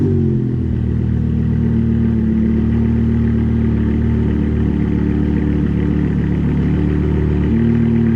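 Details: BMW E60 M5 with S85 V10, on a test drive after new coil packs on cylinders 2 and 3 and an updated ionic module replacement for rough cold start and misfire: steady, even drone with no stumble; smoother, no longer rough.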